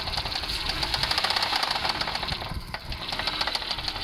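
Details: Mercedes W210 E280 4MATIC engine at idle: sharp, fast metallic ticking rides evenly over the idle, a steady knock from inside the engine whose source isn't pinned down.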